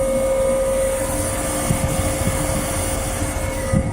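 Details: 1999 Trane XE1100 Weathertron heat pump in cooling mode: steady mid-pitched whine over a constant compressor drone with no rhythm; the odd noise is common on older Tranes, cause unclear, possibly capillary or TXV related.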